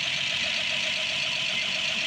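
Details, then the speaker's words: Rebuilt Ford 215 six-cylinder truck engine, new spark plugs, choke on, first start: even settled idle, smooth steady hum, no knocks or misses; normal idle, some smoke expected initially. "Good. That's awesome. I'm sure it's going to smoke a little bit for a little while, but that's Got that straightened out."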